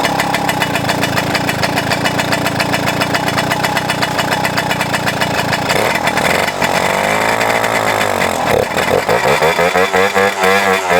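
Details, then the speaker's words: 1997 Suzuki JR50 two-stroke under restoration, carb needing rebuild: crisp even popping at idle, smooth rising and falling revs, no misses or knocks; normal two-stroke running. "Well, it ran, and aside from the barking competition and the annoying children, I was actually able to like listen to it, and it sounds healthy, so that's good."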